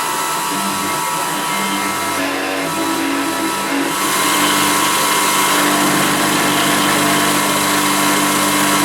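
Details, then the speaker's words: CNC milling of a laminated timber handle for a drawbar hammer, three millimetre step-over: high spindle whine with a steady ringing tone and rough fluttering edge, cutter chatter especially in the deeper section. "it's quite a rough surface that I've got there because I'm using three millimeters step over and it was a little bit of chatter as we were cutting that especially in the deeper section"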